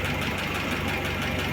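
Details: Lada 'kopeyka' on a cold start, fitted with an old used camshaft, choke cable slipping: rapid, even ticking knock over a lumpy cold idle; top-end knock the owner blames on the worn camshaft.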